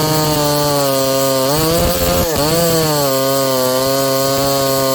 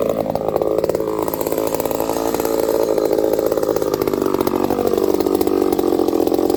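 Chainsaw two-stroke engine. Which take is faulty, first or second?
second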